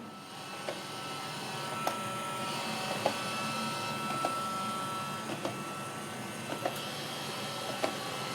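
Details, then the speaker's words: Roomba running about two minutes, then a steady vacuum hum with sharp irregular clunks about once a second from a binding main brush. The brush end clip was swapped with no cure. "okay it only last about 2 minutes and it's making that noise again have listen to this"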